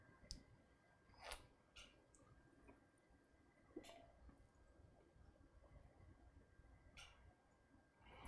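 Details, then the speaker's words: New desktop PC (Gigabyte Z370XP SLI, i7-8700K) during BIOS update: scattered soft clicks as system switches itself off and on, which is normal. "it's turning on and off behind me I can hear it clicking and that's normal don't freak out"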